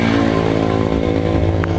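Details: Honda Supra X 125 FI single, running again after diagnosis of a faulty stator coil (spool) that drained the battery and cut ECU supply: steady, even idle with firm low beat, no misses, knocks or rattles; normal idle.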